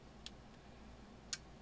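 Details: Elecraft K2 transceiver kit, first power-up test with RF board unpopulated: two crisp sharp relay clicks about a second apart over faint hum while stepping bands back to 40 meters; relays switching normally.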